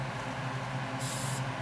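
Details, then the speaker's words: Coleman 424 dual fuel camping stove: the filler cap is slowly eased to bleed pressure from the fuel tank, giving a brief sharp hiss of escaping air. This is a normal pressure release that keeps leftover fuel from spraying out. "all right so there you have it just slowly do the cap like that and bleed that pressure off"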